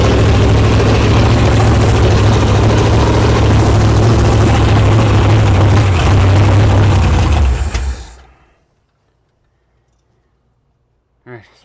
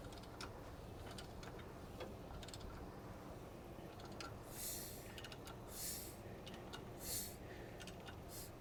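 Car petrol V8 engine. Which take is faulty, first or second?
first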